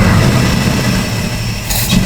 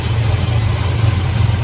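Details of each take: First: 1974 Plymouth Duster V8 with Brawler carburetor, cold idle during carb tuning; owner reports bogging on throttle and hesitation: lumpy, uneven idle with slight stumble, rough idle, cause unconfirmed (dirt suspected). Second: 1974 Plymouth Duster V8 survivor after a long sit, idling just after timing was set and before idle air screw adjustment, being checked for leaks: deep, even idle rumble with no misses, knocks or hunting; normal idle.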